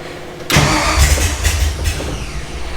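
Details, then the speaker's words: Ford Ranchero with Mustang 5.0 V8 swap, first start by switch panel: fires immediately into a deep, steady, lumpy idle with no misses; clean start, still needs tuning and timing set. "now I mean as you can see it's running we still got to tune it we still got to do the timing"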